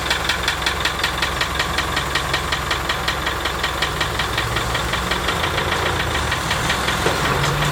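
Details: Idling 1987 Land Rover One Ten with a 300Tdi diesel, after overheating and a head skimmed beyond limits with the thickest gasket: a sharp, regular tick about three per second over the clatter; cause unknown.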